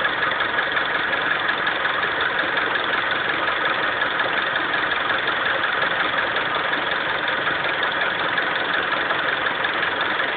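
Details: Honda CR-V engine at steady idle with a faint, fairly regular knock running through it; engine knock, cause not pinned down.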